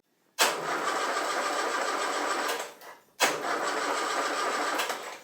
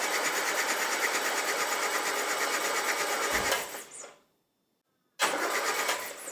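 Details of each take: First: Land Rover under restoration after distributor realigned, static ignition timing set and plug wires shortened, oil reaching the tappets: two steady cranking bursts of about two and a half seconds, starter turning freely, engine never fires. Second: Land Rover engine under restoration, starter solenoid body newly earthed: steady even cranking at about three turns a second, stops cleanly then restarts; starter spinning engine normally, oil reaching the tappets.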